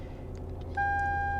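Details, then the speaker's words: 2007 Lexus LS 460 bought at auction with hail damage, TPS and brake pad lights already on: a steady chime over low idle as the VSC stability control warning comes on while the engine starts misfiring. "oh it's misfiring now check VSC just came on that's stability control great so now it's misfiring all right"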